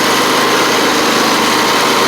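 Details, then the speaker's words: John Deere LA130 Briggs V-twin, about 654 hours, still warming up after a cylinder head swap for a bad valve guide that had it running on one cylinder: steady even idle, both cylinders firing smoothly; healthy. "but you can hear it sounds pretty good running on both cylinders now too which is good"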